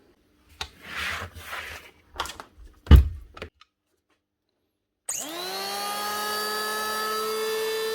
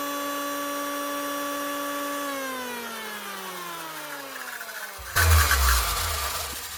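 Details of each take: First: 2013 Hitachi P20SF electric planer after new bearings and a new cable: spins up to a clean, steady whine and winds down evenly with no rattle, grind or vibration; normal running after repair. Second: 2013 Hitachi P20SF electric planer whose depth knob turns on its own: motor whine winding down with a rough, uneven note underneath; worn bearings causing vibration that turns the knob.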